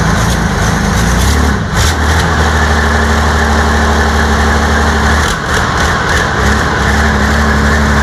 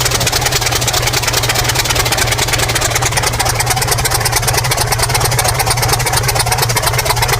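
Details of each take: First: New diesel engine for a T62 tank, first test start after oil fill and starting fuel: heavy diesel catches and settles into deep, even rumble with steady beat, no misses; healthy running. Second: New diesel engine for a T62 tank, first start attempts after oil pumped in: turns over with steady fast chugging but never settles into a run; stubborn hard starting, later started using starting fuel for heat.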